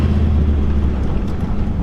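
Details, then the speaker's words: 1999 Dodge Ram 1500 Sport 4x4, 5.9L V8, after replacing an extremely loose track bar that caused clunking and death wobble; rolling through a parking-lot dip, steady low rumble, no clunks; suspension feels tight, alignment still needed. "I don't have the clunk clunk anymore that I used to have when I would hit those bumps. Everything feels super tight."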